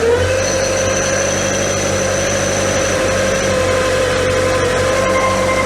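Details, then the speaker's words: MK2 VW Scirocco 4-cylinder, failed its MOT on emissions after running on three cylinders; after carb mixture adjustment it now runs on four and is not smoky, but a steady idle still has an uneven, spluttering beat. "Yeah, we've definitely got a splutter still, but we're not running on three anymore."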